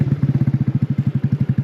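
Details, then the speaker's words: GY6 150cc 157QMJ scooter engine after starter clutch replacement, steady smooth idle at about thirteen beats a second with no misses or clatter; runs much smoother than before. "ah perfect what's amazing is how much smoother that engine runs what a difference"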